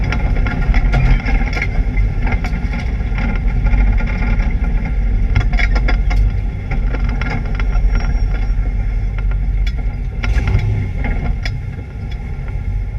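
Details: ABR Camaro race engine on misfire laps: uneven, choppy note under load with irregular stumbles and pops breaking the rhythm, an engine misfire.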